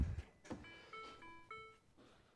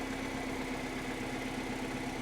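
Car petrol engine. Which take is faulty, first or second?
first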